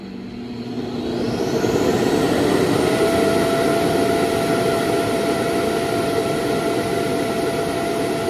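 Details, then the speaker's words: Laresar L6 Pro robot vacuum self-emptying base: once the robot docks, suction motor spins up and holds a steady roaring whir that never cuts off; auto-empty runs continuously, fault. "And then it'll just start suctioning, like the auto suction, and it won't stop. It just keeps going."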